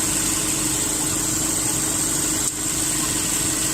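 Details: 2010 Subaru Impreza 2.5 non-turbo, 113,000 miles: replacement engine after oil starvation, idling before scan tool check, no check engine light; smooth steady idle, even hum, no knocks, ticks or misses. Normal idle.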